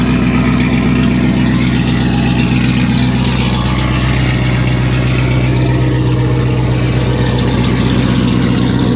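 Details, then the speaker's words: Low-mileage C5 Chevrolet Corvette Z06 (400 hp) with damage, idling at an auction yard with the mufflers removed: a deep, very loud, lumpy rumble with raw exhaust bark. "they took the Mufflers off of it okay that's that's enough of that we're not gonna run this one long wow that's that's crazy"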